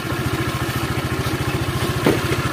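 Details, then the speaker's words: Honda Vario 125 that burns oil and smokes lightly after once running dry of engine oil. At idle, a fast, light clatter comes from the CVT when the throttle is released; the mechanic suspects the roller housing: CVT roller housing rattle. "ini suaranya kedengaranik kayaknya suara rumah roller kayaknya"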